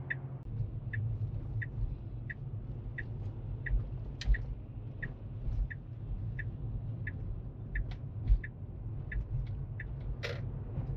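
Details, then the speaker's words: Tesla on Autopilot in traffic, driver switches on the blinker to pass a large truck: crisp evenly spaced clicks about every three-quarters of a second over low road hum; normal turn signal ticking. "But it does not have the blinker turned on. So, I'm going to go ahead and turn on the blinker."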